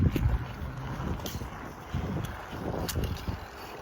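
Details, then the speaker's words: Bicycle front hydraulic disc brake at moderate speed to a complete stop: no squeal, only wind rumble and light clicks. This follows cleaning hydraulic-fluid contamination from the pads and rotor with rubbing alcohol, heat and sanding. "so we're riding moderate speed front brake [Applause] complete stop no squealing"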